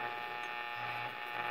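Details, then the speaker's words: 1951 RCA Victor 2S7 tube radio record player, out of its console, tuned to a station. A steady electrical buzz in the background comes from interference from nearby fluorescent lights and goes away when they are off. "I have lots of fluorescent lights going, so you'll hear a little bit of buzzing in the background. That's something that, if I turn off all my lights, that goes away."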